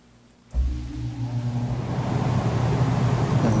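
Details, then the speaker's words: Apartment AC with iced coil and dead indoor blower, capacitor tested good (7.4 of 7.5): replacement thermostat faceplate fitted and fan switched on; low hum kicks in and settles to a steady drone; thermostat confirmed faulty. "all right here's the one we took off and here's the one from the shop that I had and we'll just turn it the fan on"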